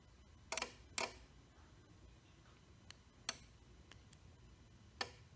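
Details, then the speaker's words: Sommer Direct Drive (Sonorous 550 compact) garage door opener: sharp isolated clicks when wall switch or remote pressed, no motor hum follows and door does not move; circuit board appears to work, separate motor suspected. "when I press the switch I do get the click sound I don't know if you can hear it from here so it is clicking but obviously the garage door isn't that opening"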